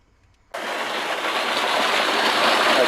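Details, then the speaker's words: Hot tub after pump replacement; the new pump kicks on abruptly and settles into a smooth, steady rush of water with no grinding or squeal. A small leak is spotted afterward. Normal pump running. "does seem to be the sound of success."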